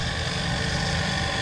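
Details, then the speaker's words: Household water pump running with well water supply, temperature sensor taped to the pump body reading 46 °C: steady, even motor hum with constant water rush, no rattles, squeals or surging; running normally. "Nah, seperti ini. Ya, ini kondisi pompa air sedang menyala."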